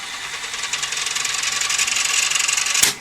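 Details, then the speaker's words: Toshiba V5470B Betamax recorder, fast forward: even high whirr with a steady flutter of about four pulses a second, ending in a clean click; tape spools freely, healthy. "but this would be bit further along if we get good v1 start fast forward"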